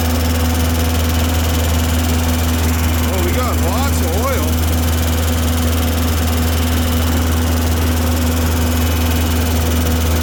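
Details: Tennant M20 sweeper, Vortec 1600 engine, first run after a head gasket job and timing belt refit: an even, steady low hum with no knocks, misses or ticks. It later ran 40 minutes with the thermostat cycling, so the engine is healthy.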